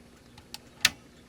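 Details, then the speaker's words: ASTAR DVD player with no disc inserted; faint tick then sharper click as the laser sled hunts and disc motor tries to spin; owner suspects a limit switch not being made. "see it tries to spin the disk there's no disk in here and it moves the laser sled"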